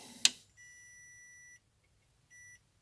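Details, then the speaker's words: 24 V inverter fed from a bench power supply (max 30 V, 3 A) set to 21 V: after a click, a thin high beep for about a second then again, error lamp blinking; input voltage too low, stable at 22 V; low input voltage error beep. "Тут вот лампочка, ошибка. Вот видите, моргает. Маловато ему это напряжение."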